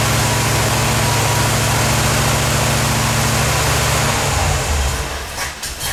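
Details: 1977 Corvette V8 first start after over 6 years, fresh super unleaded, leaking fuel filter gaskets snugged: lumpy idle pulsing about four times a second, sagging and stumbling; rough idle, cause unclear; fuel leak remains, owner suspects an old hose.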